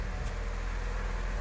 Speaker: actually hear the exhaust a little bit over the engine pal like what a transformation and it seems smoother too